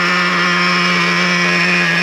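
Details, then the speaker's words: Traxxas Revo 3.3 nitro RC on break-in fourth tank, low-speed needle on the slightly lean side, reading about 247: smooth steady buzzing idle, no hunting; normal idle. "So easy to tune it up. And like I said, you want it to sit here and idle without shutting off."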